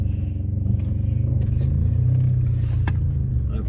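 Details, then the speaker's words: VW Passat driven over cobbles, heard from inside the cabin: steady low rumble and dull thuds, no sharp clunks, so ball joints sound healthy; an exhaust leak is also present. "tu vois là il y a pas l'air d'avoir de bruit spécifique on va dire les bruits sont plutôt sont plutôt sourds donc quand je dis sourd c'est déjà il y en a pas quoi"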